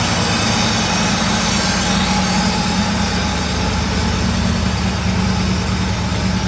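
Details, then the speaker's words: Euro Mercedes 6.9, still cold after sitting overnight, muffler missing: deep, loud, steady unmuffled rumble with a slightly raised cold idle; oil pressure still good, temperature coming up slowly. "Check the gauges again. Oil pressure's still good. Idling a little high."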